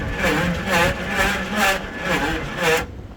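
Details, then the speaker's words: 1977 Pontiac Formula Firebird barn find, parked since 2007, new starter fitted with no shims, on a jump pack: slow uneven crank with harsh metallic grind each stroke; pinion seems to hit the flywheel too hard, shim suggested. "Think I should put a shim in there? I think you should put a shim in there. Yeah, it sounds like it's hitting the flywheel a little too hard."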